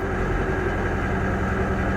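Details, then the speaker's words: High-mileage Jeep with oil in the spark plug wells, idling unevenly with a faint stumble in the low drone; running pretty bad, and there may be more to it, possibly overheating. "oh it actually isn't running oh yes it is never mind that's gonna say it's not running too bad it's it's running pretty bad it's running pretty bad guys"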